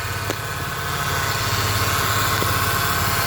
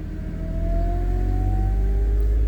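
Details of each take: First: 2008 Pontiac G6 3.5 L at warm idle after bleeding air from the power steering system: faint even pump whine, no groaning or gurgling; power steering pump sounds healthy. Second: 2008 Pontiac G6 3.5 warming toward operating temperature, key on, lights off: steady whine rising slowly in pitch over engine rumble while bleeding air from the power steering pump; whine from air in the system.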